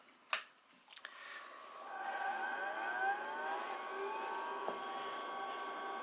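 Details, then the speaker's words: IBM PS/2 P70 (8573) powered up with the original reference disk in the floppy drive: clicks at power-on, rising hard-drive whine settling into steady spin with fan hum; normal startup. "And you can hear all the glorious noises of the hard drive and everything else."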